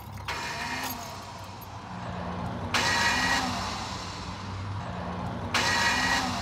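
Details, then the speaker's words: 2004 Ford Ranger starter, intermittently failing: repeated harsh metallic screeching grind on cranking as the pinion only partly extends and grinds the flywheel/flexplate teeth edge instead of fully engaging, so the engine won't start. "what's been going on is the starter gear hasn't been engaging the flywheel all the way and it's been making a horrible noise and i wanted to share that noise with you and go over what causes that"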